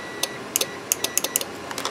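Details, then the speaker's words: 2016 Cadillac SRX AC system relay bench-tested with a 12–14 V power supply: sharp, clean clicks about ten in two seconds, relay switching properly. The actual fault was a corroded AC pressure switch connector. "all right i can hear clicking so i'm gonna do the same thing the other one"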